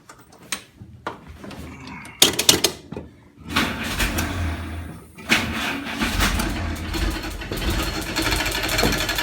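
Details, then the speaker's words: WWII Jeep (MB/GPW) running with a newly installed engine-driven Westinghouse T1 air compressor, drive clutch engaged. After starting clatter, a busy, rough clatter at about four beats a second, quieter unloaded and much louder when compressing into the hose. Noisy but working normally. "It's a pretty noisy compressor, but it's working. So now we need to put some air in those tires. You can hear it get quieter when it's not under load. But once it starts compressing air inside that air hose, you can hear it get really loud."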